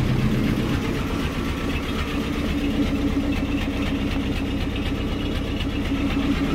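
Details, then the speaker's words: Land Rover Series IIa (the owner's dad's) with a mechanical fuel pump, started on a cold day after starting-problem work: slightly uneven low chug at about four beats a second, an idle that is not yet settled. Owner puts it down to the cold engine needing a warm-up. "It's not encouraging, is it? It's because it's cold. I think really it needs to go for a good old test and warm up."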